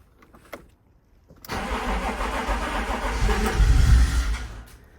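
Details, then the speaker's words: 1992 BMW E36 3 Series with a crank-no-start, with starting fluid sprayed into the intake: after a pause it catches and runs unevenly for about three seconds, then dies. Spark is present but there is no fuel; the fuse and relays checked OK, so the fuel pump has failed. "So that wanted to start, and now it's run out of Easy Start. So I know I have a fuel problem because electrically the car fired as soon as I put some start on it."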